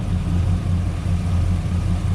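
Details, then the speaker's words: Low, lumpy idle that stumbles every few beats after the injectors were swapped between cylinders: the misfire stays in cylinder 4. Spark is verified good and the cause is not yet found. "This cylinder 4 misfire, it's whipped me. I can't figure it out. I've verified spark."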